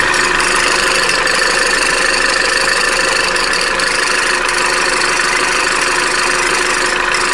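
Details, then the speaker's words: Opel Corsa D 1.4 A14XER, 65,000 km, cold idle: fast, uneven light rattle about two per second from the timing chain, present until the engine warms; belt tensioner pulley bearing also whistles when cold and needs replacing. "в общем вот этот стук он исходит от цепочки пока автомобиль не прогреется"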